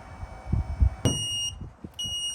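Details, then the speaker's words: MA-VE hydraulic levelling system on a 2023 Mercedes Sprinter AWD: pushing down after switching on, the front beeps with two sharp high beeps over handling thumps. A red light, thought to be an error, followed, as the rear legs did not come down; the cause is unconfirmed. "We turn it on and then we push the down and the front is beeping."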